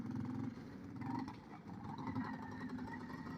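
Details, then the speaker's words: Kawasaki KLT160 mini Prairie Dog ATV, sat for years, ridden at a distance: small single sputters and surges unevenly with a ragged, almost two-stroke beat. Owner thinks it runs way too lean; a restrictive intake tube was blamed. "You can hear it's not running right. Yeah, it sounds like a two-stroke almost."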